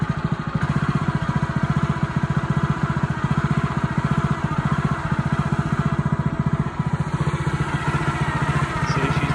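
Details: Honda GX160 on a SplitFire wood splitter after carb cleaning and oil change for bogging and stalling when splitting, test-splitting wood: steady, even thumping beat holding pace while splitting, no surging or hunting; pulls the load cleanly.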